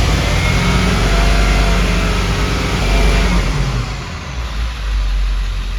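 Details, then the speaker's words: 2000 Ford Excursion 7.3L Powerstroke diesel with low power, unable to exceed 40 km/h; revved with the air filter installed. The rev climbs, then sags and stumbles with hesitation; a restricted air filter is suspected. "and there seems to be some hesitation too it just doesn't sound right go ahead and take out the air filter"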